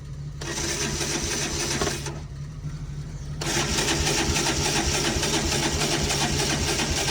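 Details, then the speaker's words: Old Kawasaki Bayou ATV, November cold start, choke lever broken, fresh gas about a month old: starter churns at a steady, even pace with no firing or catch; crank, no start. "Definitely cranking, but can't seem to get. Make sure we've got gas in this."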